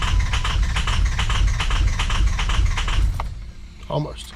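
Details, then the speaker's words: 2003 Ford F350 6.0 PowerStroke diesel, crank-no-start after running out of fuel: long, even cranking at about 2.5 turns a second with the fuel rail completely empty. It hits on a cylinder or two while fuel refills, then stumbles and dies down. "It's the it's hitting on a cylinder or two, just getting some fuel back up to it. Fuel rail's completely empty."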